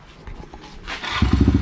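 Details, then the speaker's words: Kawasaki KLX110 with BBR intake, high-hour engine still holding compression, cold start with choke out after a couple throttle pumps: catches immediately and settles into quick even choked idle; healthy cold start. "fired right up garage has heated up so let's see if i can pull it off choked or not so you can hear still a little cold"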